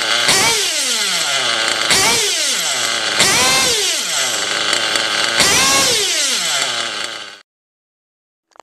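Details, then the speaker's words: OFNA Hyper 7 buggy with an O.S. .25XZ nitro engine, badly needing a retune. It screams at high revs that sag and surge again in about four long waves instead of dropping cleanly to idle; the mixture is still off. "You'll hear it, at some points it'll drop and then it'll raise and all that. So what you want it to do is immediately, boom, drop to its idle."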